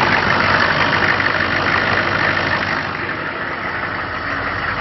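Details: Hot restart of the TurboWeasel truck after driving 5 miles with a newly fitted PMD: it died while coasting in a parking lot, and the starter churns steadily, about three beats a second, for several seconds without catching. Not overheating, charging weakly; cause unknown.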